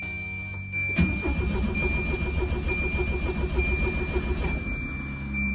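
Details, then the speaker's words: Abandoned 1988 Volvo 240 DL, first start attempt: the starter cranks steadily for about 3.5 seconds but the engine never catches, and no fuel pump hum is heard. A faulty fuel pressure relay was later found. Crank, no start. "but anyways I didn't hear the fuel pump anytime we were cranking I expected to hear it when uh I turned the key to ign"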